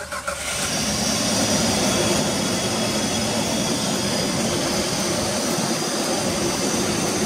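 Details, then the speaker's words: 2006 Jeep Liberty 3.7 L started after replacing a leaking water pump, before warm-up, checked underneath for leaks: engine catches and settles into a steady, even idle hum with no squeal, grinding or knock; running normally. "ahí está trabajando compañeros vamos a ver si en la parte de aquí abajo se llega a apreciar alguna clase de fuga"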